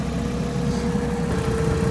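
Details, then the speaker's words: Old Ford KA small petrol engine on a ramp idles with a thin, steady squeal on top from a dry drive belt slipping on its pulleys; it was earlier suspected to have a blown exhaust. "That's a dry belt, yeah?"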